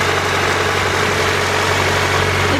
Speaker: oh no started right up that time but look how smooth this motor runs if you can hear over the stupid wind